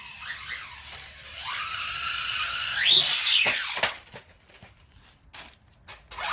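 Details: Redcat Volcano 16 mini monster truck with brushless conversion, motor-mount holes ovaled, only the stock pinion usable: loud, shrill whine rising and falling with throttle from a badly set motor-to-spur gear mesh. Problem unsolved.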